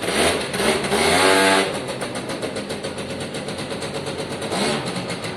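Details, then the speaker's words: Piaggio Diesis 100cc two-stroke scooter, exhaust has a small hole; buzzes up on a quick blip then drops back to steady even idle without stumbling or misfire; normal running. "Oh, I'm quite happy with that. To an extent, I think that's job done, really. Sounds great."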